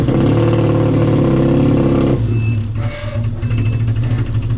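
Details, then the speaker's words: Car with big injectors and an unknown chipped ECU: choppy revving with a stumbling beat as revs climb, like cylinders dropping out; misfire suspected from injector/ECU mismatch, stock injector swap planned. "Alex drove it out to the trailer and I told him that the car does sound like it has a misfiring, but it does have big injectors and an unknown chipped ECU."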